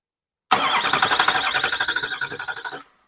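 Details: California LB7 Duramax diesel with the intercooler disconnected and ether sprayed into the intake pipe: starter churns at about four compressions a second for two seconds with no catch. Cranks, no start; a shredded mouse nest came out of the bell housing.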